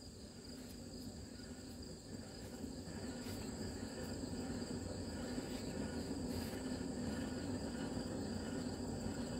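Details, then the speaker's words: SuperSplit wood splitter axle bearing, with blown-out dust shield and grease leaking: dry, rough whir with light, fairly regular ticking as the flywheel is spun by hand; a noisy, worn bearing due for preventive replacement. "now you hear that anytime you hear that in a bearing you need to be planning preventative maintenance"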